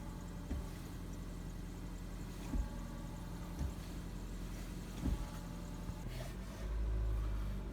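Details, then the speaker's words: 2007 Ford Fiesta 1.25, five-door, at idle, clutch pedal pressed and released; owner reports high bite, squeaky and slipping clutch: steady idle with faint, even hum that changes as clutch is worked; slightly noisy throw-out bearing. "So if I start it up, listen, clutch in, clutch out. It's got a slight humming on the throw out bearing."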